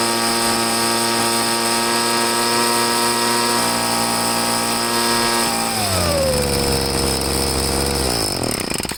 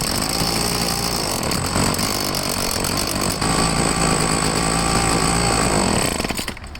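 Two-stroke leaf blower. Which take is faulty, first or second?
second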